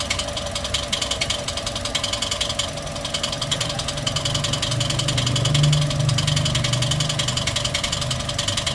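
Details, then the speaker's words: Toyota 1NR-FE engine with nearly 400,000 km, idling before repair: quick fairly regular metallic rattle around 214 a minute; loud timing chain noise; timing chain later replaced and hydraulic lifters cleaned. "guys short video tayo isalpak na natin yung ano yung timing chain kasi ang tinakbo po nito magpo 400,000 na ah pakinggan muna natin yung ingay to- troubles shoot natin yan"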